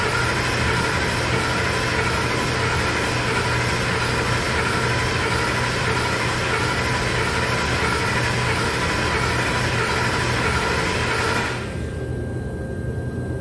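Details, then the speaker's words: 2011 Ford F-150 XLT 5.0L, flashing check engine and wrench lights, during 10-second relative compression cranking test: lopsided, loping cranking rhythm instead of an even beat; cylinders 4 and 8 have low compression. "you can hear it when it's cranking it has a loopiness to it cylinder 4 and 8 have low compression"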